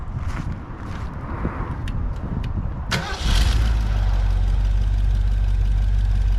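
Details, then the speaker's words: 1955 Ford pickup with a used 1965 Ford 289 four-barrel V8 (225 hp) and 4-speed top loader. Valves readjusted from about 0.030 to 0.015 in and radiator flushed. Starts fast and idles smoothly; some blow-by remains. "so we readjusted those and uh it's a lot smoother now which I'll show you here in a minute"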